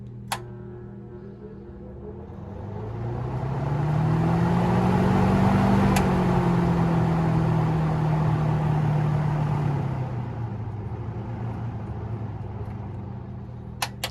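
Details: 1950s–60s Westinghouse automatic thermostat-controlled box fan, just cleaned and oiled, running in reverse. Hum climbs smoothly as it spins up, holds steady, then winds down evenly with no rubbing or rattle: normal running.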